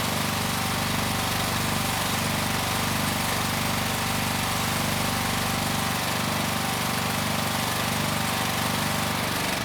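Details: 4000 PSI hot water pressure washer, Honda GX390 with replacement pump after lock-up, building pressure with tip fitted and burner off at first: steady even engine drone, smooth regular beat, no knocks or misses; healthy under load.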